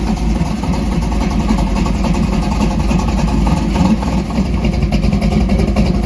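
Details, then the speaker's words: 1968 Dodge Dart drag car, stroker Mopar small block with solid roller cam, warm-up idle after throttle opened slightly to sustain a clean idle: steady, slightly lumpy V8 idle with even low rumble holding speed; no knocks or misses. "I did actually just uh adjust that throttle up a little bit um just want a little bit more throttle blade opening to sustain a nice clean idle"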